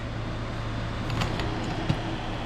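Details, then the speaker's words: Minn Kota Edge trolling motor on first test after cleaning water and gunk from the lower end, new seals and new brushes, on a charged battery: steady even low hum, no grinding or surging. Runs like new. "Look at that. Running like a brand new one."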